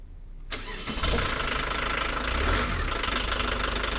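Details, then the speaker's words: 35-year-old VW camper van, turbo diesel rated 70 hp new, owner suspects dead turbo compressor (can't exceed 80 km/h): cranks, catches and settles into a loud, clattery, slightly uneven diesel idle; slow and noisy but normal diesel idle. "it runs it drives it's slow it's noisy and it sounds like my childhood"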